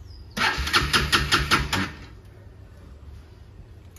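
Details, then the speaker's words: Bajaj Pulsar RS200 motorcycle in neutral, ignition light on, fuel in tank: starter spins the engine in rough quick strokes for about a second and a half, then quits without firing; cranks but won't start, owner suspects a flat battery. "Start করছি start হবে না তেলও আছে বুঝতে পারছি না যে fuel থাকা অবস্থাতে কেন এরকম হচ্ছে"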